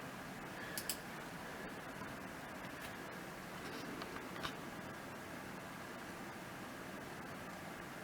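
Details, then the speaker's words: GTX 1660 Super mining rig after reboot, ATX PSU fans not yet on: faint steady airy hiss with no rattles, ticks or surging; fans spin smoothly and quietly, normal healthy rig. "Pretty happy with how quiet this rig is. It's so quiet, you can hardly even hear it."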